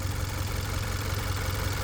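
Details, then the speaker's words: 2015 Hyundai Sonata engine rebuilt at 129,000 miles (new pistons, rings, crank bearings, rods, head gasket) idles with an uneven, lumpy beat and irregular stumbles; misfiring somewhere, owner suspects coils, plugs or injectors weren't replaced. "It's running pretty okay, but you can see that something's wrong. If you know mechanics, you can see that something's wrong. Something's not running entirely right. And I don't know, it's misfiring somewhere."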